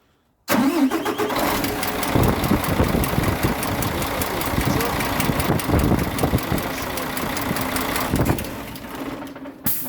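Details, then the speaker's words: KAMAZ 5490 diesel: starts and idles evenly with a light, regular top-end ticking over the rumble; large rocker clearance on the cylinder 2 exhaust valve, suspected bent pushrod or tappet problem. "На втором цилиндре получается выпускной выпускной клапан коромысла. Большой зазор."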